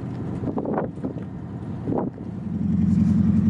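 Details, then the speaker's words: Detroit Diesel boat engine running with exhaust through a muffler, heard upstairs outside over some wind: soft steady drone, no harsh bark from the stack; muffler very quiet without suffocating the engine, healthy. "look it's a muffler yeah wow it's pretty good that's amazing"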